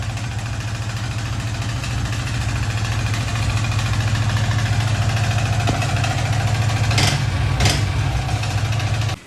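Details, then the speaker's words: Yamaha R15 V3 four-stroke motorcycle idling in neutral: a rough, uneven tapping knock from the upper engine after the engine oil ran very low; valvetrain knock from oil starvation, bike taken off the road. "तो भाई यही कुछ ऐसा sound ए रहा है जिसकी वजह से मैंने मतलब इसको चलाना ही छोड़ दिया अभी फिलहाल"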